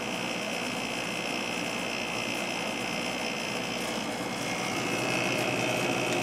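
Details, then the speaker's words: 1997 Sharp 8500 BTU window air conditioner missing its original air filter, started up in the living room: even fan rush and steady compressor hum, no rattles or squeals; running smoothly, air nice and cold, normal operation. "Seems to be working great. Air's nice and cold."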